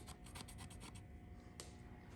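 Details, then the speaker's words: 2.0T engine teardown after a poor DIY rebuild, clogged oil pickup and gunky oil starving the cylinder head: quick dry raspy scrapes, about eight a second, from the intake cam. Scored camshaft journal. "None of the oil came to the cylinder head. We've got, hear that? We've got scratched journals."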